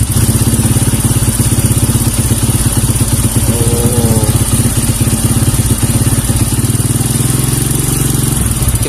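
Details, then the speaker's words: Kawasaki KLX 150 vacuum carburetor running without the spring fitted, throttle opened slowly: single-cylinder putter stays uneven and stumbling and the revs refuse to climb. There is hesitation on the throttle. "Oh, so, Das Geräusch ist wie Breerebet. Es ist nicht stabil wie ein Scap. Es sollte sich heben. Es hebt sich nicht. Es will sich nicht heben."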